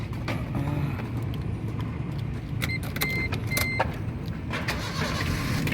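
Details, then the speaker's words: 2013 Suzuki Splash 1.2 GL manual, about 80,000 km, first owner, serviced: keys jingle and a chime sounds, then the engine catches quickly and settles to a quiet, even idle with nothing knocking; healthy start and idle. "Nah, jika kita nyalakan mesin itu, coba kita rasakan getaran di mobil. Kalau mobil dengan kondisi mesin masih bagus, itu getarannya sangat minim terasa."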